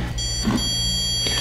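Steady high electronic beep held over the scan, the tone a stud finder gives when it passes over a stud.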